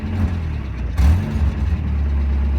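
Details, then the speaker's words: Race-spec Mazda Miata with roll cage: starts and idles low and steady, then stumbles and bogs when throttle opens, barely revving before nearly dying; owner suspects an intake-side or fueling issue such as a weak fuel pump rather than timing. "so it starts up just fine idles good and then try to get a little gas and it just wants to die and you can hardly give it good to rev up"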